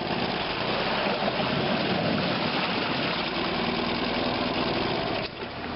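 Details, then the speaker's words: Honda BF75s four-stroke short-shaft outboard, running with the hood removed: an even, quiet idle with a soft steady pulse and no rattles, clean and in excellent condition; normal idle. "um here it is running absolutely excellent condition"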